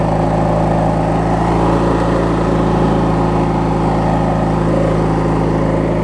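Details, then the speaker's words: Craftsman LT1000 riding mower with a swapped-in opposed-twin engine, running after refueling and restarting; smooth, constant low rumble with an even beat and no knocks or stumbles; normal healthy idle. "I'll take two I'll leave you over here it runs good here"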